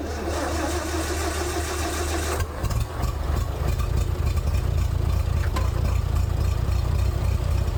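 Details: International 434 gas tractor that had sat unused for a long time, with a weak battery being boosted. The starter grinds, then the engine catches and settles into a steady, even low rumble after the governor rod was reconnected to the carburetor. Normal running.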